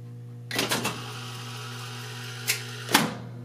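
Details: 1970 Wurlitzer 3400-series jukebox selecting J1 after A1–G1: motor whirs, crisp click partway, then solid clunk as it stops; selector cycling normally.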